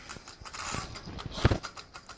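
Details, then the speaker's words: Sony Vaio laptop making an irregular, scratchy grinding and clicking in uneven bursts from inside. The source is unconfirmed; the owner guesses the "heater" and says it happens mainly when playing video or with many tabs open. "The only problem with this laptop is that it makes an annoying sound."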